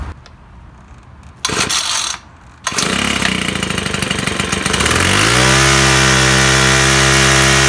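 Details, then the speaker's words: String trimmer, first spring start, 13 primer pumps and full choke: a few sharp cord pulls, then it fires and builds to a smooth steady run; normal start and run. "so all right another really easy start really nice trim now i've always uh got a nice sound to it"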